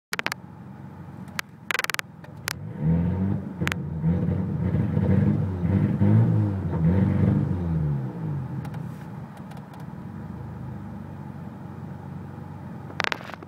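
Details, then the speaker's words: Parked turbocharged petrol car, warm day (problem only on warm days): revs climb unevenly, choppy and stumbling, and the blow-off valve vents just from revving; owner suspects misfire, possibly vacuum leak, unconfirmed. "it's also causing the blow off to actually um off just by simply revving it which this car never and i mean never does that i don't know what this is i don't know what's causing it"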